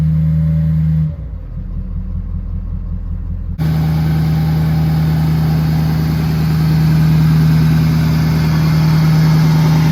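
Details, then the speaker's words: 2013 Ford Powerstroke diesel, aux-switch high idle mod using a 22k ohm resistor, parking brake on: steady, even drone at a raised idle around 1200 rpm, building about 3 lbs boost; high idle working properly. "so that resistor actually worked out perfect we're building about 3 lbs of boost there uh really good high idle really happy with how it turned out"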